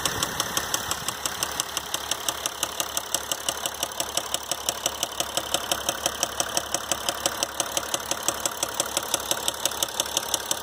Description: Is your Mercedes Diesel making this noise? My 2012 GL350 did after only 125k miles. If you're here looking for the cause of that noise, I have bad news: It's a rod bearing and the dealer will want to drop in a new motor for about $20k.